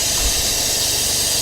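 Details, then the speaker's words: Cheap Porsche 911 Carrera cooling system being vacuum-filled with a Shout detergent flush mix. A compressor-driven venturi filler gives a loud steady air hiss with a low rumble as the gauge climbs through 10 toward 15. Coolant is gurgling; normal vacuum fill. "She's up to 10. Quickly approaching 15. So far, so good. I can hear the cooling system gurgling."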